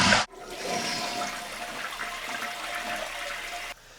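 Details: Leaky toilet test flush after installing a new flapper: handle clunk, then a strong even rush of water that drains and stops cleanly; flapper problem solved, the toilet flushes normally.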